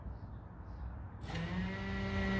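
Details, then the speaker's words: 1969 Camaro during rewiring, ignition on but engine not yet started, running off a battery charger: steady high whine with low hum as the fuel pump runs and primes. Normal running. "you can hear that in the video but the fuel pump is running so everything is working"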